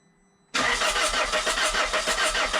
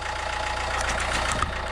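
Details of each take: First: 1.9 JTDM/CDTI diesel after a snapped timing belt, rebuilt with a new belt, water pump, rockers, pulleys and glow plugs, fuel primed via ignition. Steady cranking at about three compressions a second with no firing: cranks but won't start. Air earlier escaped past the injectors, since reseated. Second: 1.9 JTDM/CDTI diesel idling after its first start following a snapped timing belt rebuild (new timing belt, water pump, rockers, pulleys, glow plugs). Steady, settled, low rumble under clapping and background noise. An even, healthy normal idle.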